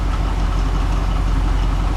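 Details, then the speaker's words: Grain truck V8 idling; smooth even rumble with no misses, pops or backfires; throttle response now immediate and no backfire on deceleration, unlike before; normal idle. "Says now you go to get in it, the throttle response is right there. Doesn't backfire anymore when you go to slow down."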